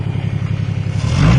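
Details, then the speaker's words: No-start car diagnosed with basic tools, after fixing missing spark: quick, even low thump then smooth pickup on a throttle blip; runs cleanly, though the throttle cable sticks badly. "so we are just missing spark on throttle cable's sticking [Music] all right well there we go runs like a champ"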